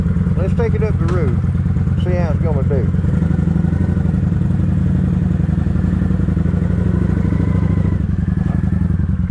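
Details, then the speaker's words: Kawasaki Vulcan 900 after cleaning the fuel tank and clearing a clogged fuel pump filter that caused a squeal, riding: steady, even engine note under load with no squeal, running clean. "good and quiet none of that squealing noise"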